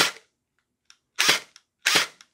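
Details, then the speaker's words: Splatrball gel blaster after all-metal gear upgrade replacing stripped plastic gears, stock spring: three crisp single shots about 0.8 s apart, quick whirring snap, no grinding; gearbox cycling cleanly on semi-auto. "So you can hear the motor sound changes as you adjust the screw. I can hear a sound like it slows down when I pull the motor away and speeds up when I push it in, so I suspect it's better when it's pushed in further."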